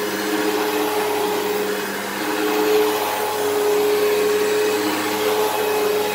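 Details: Eureka Whirlwind True HEPA 4383 vacuum on high setting: steady motor rush with a thin, wavering whine from the brush roll; its bearings sound worn and it probably needs a new brush roll, while the motor sounds fine.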